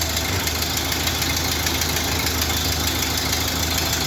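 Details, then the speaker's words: 1931 Ford Model A, refurbished after 45 years in storage, first run in several years after fixing tarnished points, a stuck carburetor float, a possibly bad coil and wire, and reset timing. Just barely started: slow, steady, even chuffing idle with no misses. Normal idle. "Just barely got it started now. I don't know if they have everything adjusted right on it, but it is running. I guess it's hard to kill these things. 1931 Model A. Sounds like a Model A."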